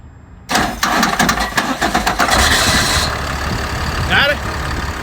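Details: Ford F650 box truck that had a no-crank problem: quick burst of starter cranking, fires within about two seconds and settles into a steady, even idle; normal crank and start.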